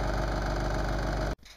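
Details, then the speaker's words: Lennox mid-efficiency furnace: loud coarse steady droning rumble from the inducer fan motor until it shuts off; bearings likely worn out, so the inducer motor is being replaced. "the inducer fan is making a whole lot of noise turn it on so that's this guy here bearings in it are probably shot and we're going to replace it"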